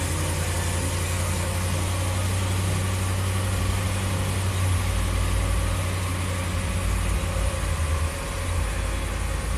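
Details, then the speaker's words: 2014 Ram 1500 Hemi V8 at 113k miles in limp mode with codes P0016 cam/crank correlation and P000B VVT cam slow response: deep, lumpy, uneven idle, running rough; cam timing suspected. "Fire it up. Yeah, it sounds terrible."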